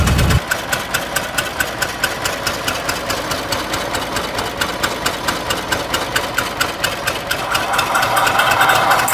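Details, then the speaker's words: 1920 Ford Model T barn find, sat about 10 years, first start, hand-choked, timing being adjusted: slow, lumpy idle with uneven thumps, running on only one or two cylinders; misfire from stuck valves, low compression. "so right here I'm adjusting the uh timing it's really only running on one or two so it sounds like one sounds like the the 199 brush having a little issues here see what we can come up with but it's definitely not running good"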